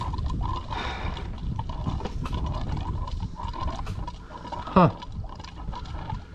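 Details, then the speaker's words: 2003 Ford F350 6.0 PowerStroke diesel, crank no-start, key on; fuel pump makes irregular low gurgling and bubbling while sucking air from an empty tank, fuel light not on. "hear that gurgling noise? Got no gas in it. This sucker doesn't have any diesel fuel in it."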